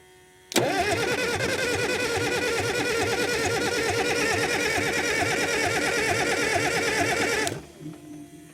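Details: Cat 922 loader diesel after a cylinder head rebuild, with fuel hoses and clamps reworked and the suction filter element still missing, on a cold 0-degree day. The starter churns steadily at about three beats a second for seven seconds and it never fires. Cranking no-start, cause not found.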